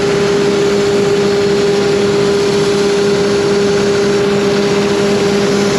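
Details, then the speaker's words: John Deere 7200R with 11,630 hours, after an exhaust pipe leak was mended with a new gasket. The diesel idles steady and even with a constant drone and no puffing or ticking from the exhaust: normal idle. "now it's going back together and we'll fire it up and see if that does the trick"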